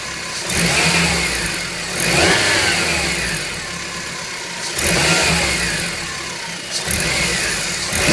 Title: Fn2 whining rattly noise